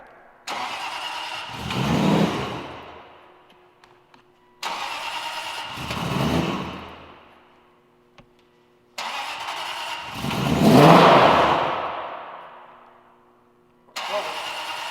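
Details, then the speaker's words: A supercharged V8 Aston Martin Vantage makes three start attempts: each time it fires, surges briefly and dies away, with no bad mechanical noises. A MAF issue is suspected. "have to take a look at it and see why it won't stay running. Chris thinks maybe it's a MAF issue, but the good news is no bad noises, sounds great, fires up."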